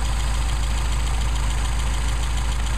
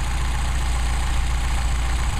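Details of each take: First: Mercedes 190SL with Solex carburetors, idle mixture screw on the first barrel being adjusted: deep, steady idle that stumbles and nearly dies as the screw leans the mixture. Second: Mercedes 190SL with Solex carburettors, started from cold, idling after a throttle linkage adjustment with the secondary barrels closed. Steady, even low idle with a smooth rumble and no misses, pops or knocks.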